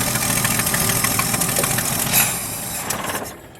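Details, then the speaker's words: 1977 Ford F350 dually tow truck, estate-sale find left to rot, running on starting fluid and temporary gas feed: the old six runs rough, stumbling and faltering under throttle, then dies; it hesitates on acceleration, with clogged jets or, most likely, a bad accelerator pump suspected. "It don't like to accelerate. I'm not going to touch the carburetor. I'm going to let it chew on some gas."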